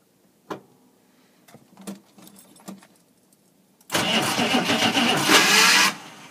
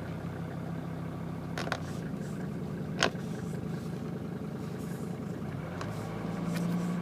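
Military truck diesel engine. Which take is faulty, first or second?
first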